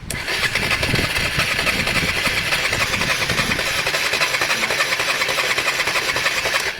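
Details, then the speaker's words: Honda Varadero 125 at its first start attempt, no fuel added yet; starter turns the engine with evenly spaced, equally strong pulses, about three per second; normal, healthy cylinder compression. "the actual compression in cylinder sounded smooth enough there guys so so far so good"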